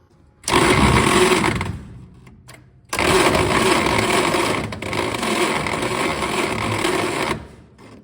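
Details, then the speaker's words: 1934 Plymouth Standard 6 with a 6-volt starter from the 1930s, cranked with a jump box's 6-volt crank assist: strained, uneven whirring, the engine turning slowly and labouring; the starter is weak and unhappy. "Starter's really not happy. This crazy science box has a 6-volt crank assist mode."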